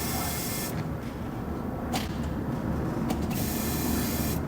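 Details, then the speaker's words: Mercedes R107 300 SL that won't start, ignition on: steady even whirring hum from the fuel pump priming normally; smells rich. "so that means we've got fuel well it don't mean we've got fuel but it means our pump's working"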